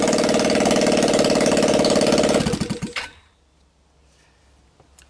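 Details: Linhai Talon 300 4x4 ATV engine bench-run outside the frame with taped-on PZ27 carb, 12VDC CDI, choke on, first start: quick, even single-cylinder chatter runs cleanly a couple of seconds, then shut off and dies away; no bad noises.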